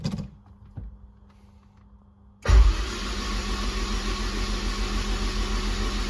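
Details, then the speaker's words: Honda S2000 with 2.4 race engine, rod bearings checked after 5-6 months hard racing: cranking with spark plugs out, loud even starter whirr, no knocks, turning freely; fuel pressure and solid oil pressure shown, motor sounds good. "we got fuel pressure motor sounds good there is that's what you want to see is a nice solid oil pressure"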